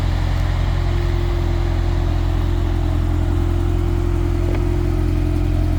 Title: GTS Turbo, walk around, noise at idle